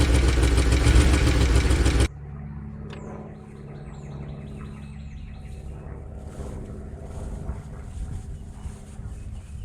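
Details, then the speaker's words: 2013 Chevy Tahoe V8 (ex-police, with DOD) idling after start on a fresh battery, lumpy stumbling beat showing a bad miss; good oil pressure; codes random multiple-cylinder misfire and cylinder 1 deactivation; owner suspects a stuck lifter. "as you can see it's most definitely got a bad Miss in it"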